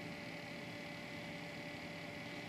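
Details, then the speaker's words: Newly built desktop computer heard up close: steady windy fan rush with a thin whine from the fans, plus a rattling Corsair 100 liquid cooler pump. "so you hear the whiny fans and the rattling corsail 100."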